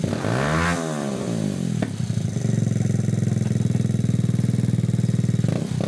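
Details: Honda Grom clone single-cylinder after a valve adjustment: after a quick blip, settles into an even, steady putter at about four beats a second, no ticking or misses, no exhaust leak felt. Healthy idle.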